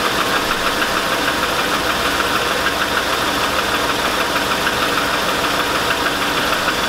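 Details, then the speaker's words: 2002 Chevy Avalanche 5.3L, idling after start-up, smells rich: light rapid tapping about three a second over a steady idle with hiss behind; owner suspects piston slap, lifters or a rod knock, not confirmed. "oh there that noise whatever it is whatever it is it's shot and something oh geez that can't be piston slap"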